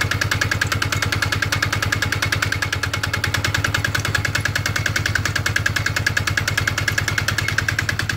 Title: Polaris Sportsman X2 EFI 2007, knocking sound when cold (-12C)